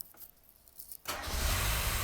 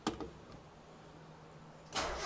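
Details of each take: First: 1990 Mazda Miata NA after top-end engine rebuild: a second of quiet, quick crank, then catches straight into a steady even idle; normal start. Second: 1990 Mazda Miata after top-end engine rebuild, first start attempt with coil packs reconnected: starter cranks steadily at about 200 beats a minute but the engine never fires; crank no start, owner assumes no fuel.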